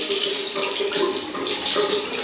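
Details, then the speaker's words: Urinal cistern with torpedo siphon, after refit: once filled above the siphon level it dumps with a strong even rush, then steady flow with no hiss or trickle; normal flush, then shuts off. "There we go, finally. So what it's doing now is just dropping all the water inside that cistern, and once that's run through, it'll just shut off again, and then"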